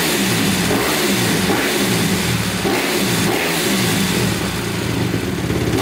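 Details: 2010 Honda CRF250R after valve shimming, previously wouldn't start, started with the primer out: single cylinder settles into a fairly steady, even putt with slight rev flutter, idling normally but a touch low; still somewhat hard to start.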